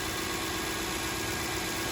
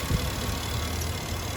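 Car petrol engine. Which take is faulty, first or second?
second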